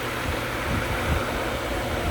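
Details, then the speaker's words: Pool pump running a Zodiac MX-8 suction-side vacuum with main drain and yard-side skimmer off, all suction on the vacuum skimmer: steady hum and constant water rush, pump audibly working, holding just under 10 psi; normal. "So once again, you kind of hear the pump kind of working, because all of a sudden now all that suction is going to this one right here."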